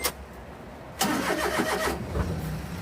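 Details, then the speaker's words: Japanese kei car cold start before delivery: brief crank, catches at once and settles into a light, even idle; started right up; normal cold start. "nice started right up"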